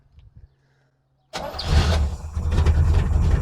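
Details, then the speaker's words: 1967 Corvette Stingray V8, first start after sitting decades, fuel flushed, no water pump fitted: short crank, catches at once and settles into a deep, even idle; healthy start. "wow wow that started quick that was amazing [Music] until the oil pressure is up real nice yes it is"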